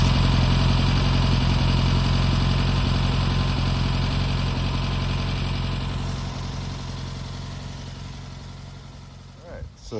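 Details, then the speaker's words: Newly installed engine in the Brubaker Box project car at its first start: an even, steady low chug of about 220 beats per minute that fades toward the end, a smooth, healthy idle. "but that is nice progress lead the brakes I guess is next but that engine sounds healthy digging it"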